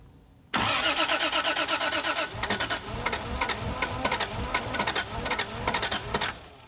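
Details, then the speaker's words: 2JZ-swapped Hellcat cranking on pump gas: rhythmic cranking pulses that never catch. Crank-no-start because the starter wire in the fuse box couldn't carry enough amperage; fixed by moving to a different wire. "The wire that we were using previously didn't have enough, I guess, amperage to give us the hit that we needed."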